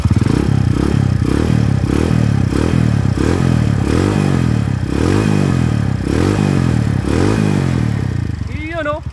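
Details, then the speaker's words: Honda TMX 155 single-cylinder idling after timing gear set replacement: gear whine gone, light quick valve tick remains from excessive valve clearance; tune-up and valve readjustment planned once engine cools. "Wala na yung pusa-pusa, ang naririnig na lang natin ay yung lagitik. So i-tune up na lang natin yan, mamaya palilimigin muna natin at okay na."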